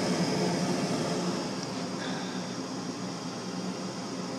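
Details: Frigidaire gas forced hot air furnace with no-ignition fault, firing: steady, even burner roar with a soft blower hum, no clicking or rumbling; normal furnace operation.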